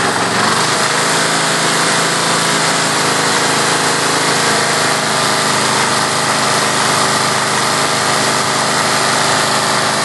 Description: Kohler K321 in John Deere 314 recently rebuilt, but makes a rattling sound and misfires occassionally